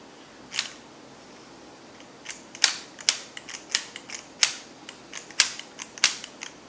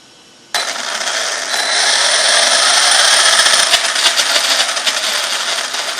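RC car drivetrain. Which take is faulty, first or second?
first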